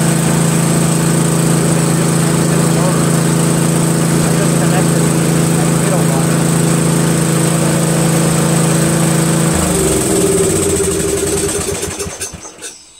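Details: MTD Cub Cadet lawn tractor repowered with a used Briggs 13 hp flathead after a carburetor swap: runs with a steady, even single-cylinder drone, no misses, then is shut off and coasts down. Sounds healthy.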